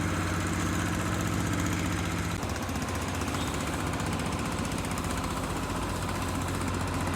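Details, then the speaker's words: Nissan CDA20 90hp marine inboard with Z-drive sterndrive on a newly assembled 6.30m boat, launch test; even steady idle, regular low throb about four pulses a second, no knocking or misses, normal idle. "vậy là động cơ lắp đặt cái đuôi z động cơ 90 mã lực từ lắp đặt đến chạy thử đã tạm ổn rồi ha"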